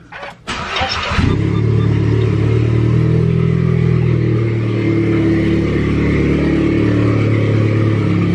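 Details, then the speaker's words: VW MK7 Golf R, cold start, car raised at an angle: catches then loud, raspy idle with uneven puffing chuff; broken downpipe before muffler, damaged band clamp. Exhaust leak. "when we started up real quick for you I'm not gonna I'm not gonna start it for very long for one the cars angled like all crazy and I don't want the exhaust to get too hot you can really hear it like a lot on a cold start especially"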